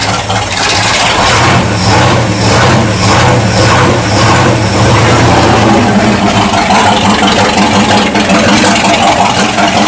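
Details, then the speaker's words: 1979 Ford dentside truck V8 after a new carburetor install, floats adjusted and choke open: loud, lumpy, loping rough idle; owner is fairly sure ignition timing is still off rather than a vacuum leak. "I am pretty sure we still have timing issues"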